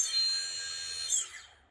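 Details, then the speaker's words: Agricultural drone motors 1 and 2 after ESC calibration with a servo tester: clean, steady high-pitched whine from the small motor, then a smooth wind-down with no rattle or grinding; normal spin. "다이얼을 다이얼을 다시 뒤쪽으로 돌려 보면요 1번과 2번 모두 번 이렇게 회전하는 걸 보실 수 있습니다"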